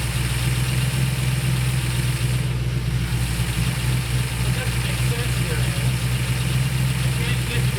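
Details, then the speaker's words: During a tune-up of the 1968/69 Ford Torino GT 390 FE V8s, a steady, fast V8 idle never settles. With the idle screw fully out the idle won't slow and the spark port still shows vacuum; the owner suspects the pedal is holding the throttle open. Dwell seems okay. "I take the screw all the way out doesn't get any slower and it's already pulling back in none of that makes sense"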